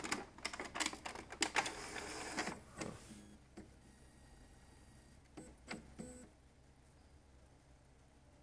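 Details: Epson L395 printer powered on after lubricating the carriage rail, carriage had been slipping: burst of quick mechanical clicks and carriage whirs, then quiet head-cleaning strokes; starts up and cycles normally.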